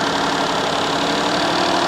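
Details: Unknown-size engine in a repo car with a possibly recently replaced motor mount: steady, fast idle with an even hum that never settles; idle far too high, suspected disconnected part under the intake.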